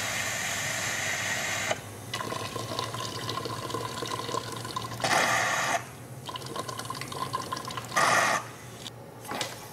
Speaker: a clogged steam nozzle isn't too common but i've seen it happen especially with new boilers loose shavings in the boiler turret and fittings find their way into the steam pipe and get trapped in the steam nozzle